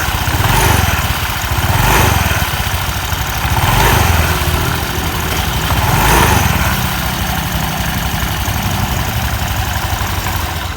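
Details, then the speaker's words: Automatic scooter at idle: steady idle with a rubbing friction hiss that swells every couple of seconds. A CVT fault is suspected in the rollers, roller housing, clutch shoes or rear pulley; not confirmed. "Di sini dari suaranya bisa kita dengar ya. Ada suara gesekan ya. Ada yang masalah dari suaranya."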